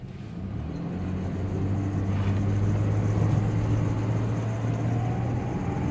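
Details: 2000 Ford Ranger engine noise under acceleration only: tone climbs with revs and fades off throttle, loudest cold, quieter warm, gone at full operating temperature; worsening over recent weeks; oil pressure switch reads fine; cause unknown.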